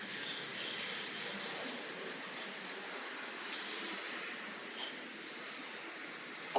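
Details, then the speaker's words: 1977 Datsun 280Z L28 engine, leak-down test listened through a hose: constant airy hiss of escaping air, slight leakage at intake and exhaust. Blown head gasket between cylinders one and two, matching their low compression. "So, we've got a blown head gasket between one and two. That's what's going on."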